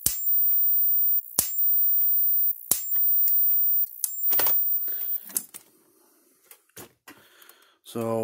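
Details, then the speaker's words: Kencove KF13000 fence energizer (Power Wizard-made, 13 joule) after burnt parts on its board were fixed: sharp, even snaps about every 1.3 seconds; healthy pulsing, tester reading about eleven thousand. "hopefully it doesn't sound as weird when you plug it in and hopefully it goes working that sounds healthier eleven thousand that's what we're talking"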